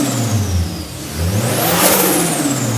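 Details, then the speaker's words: Old Toyota Hilux newly built with a turbo and running on ethanol, first starts after the work: crisp free rev that settles, with a rising turbo whoosh on top; sounds like a new car, smooth, even and healthy. ">> It sounds like a new car. >> It sounds fantastic >> except when you get up at it and it makes whoosh noises."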